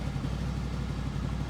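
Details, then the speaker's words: 2007 Honda VFR800 V4 after injector clean, new spark plugs and air filter; even steady tick-over with no hunting or surging, FI light off, very responsive; previously idled sporadically high; normal idle after repair. "FI light is no longer illuminated so ticking over a lot better as well very responsive"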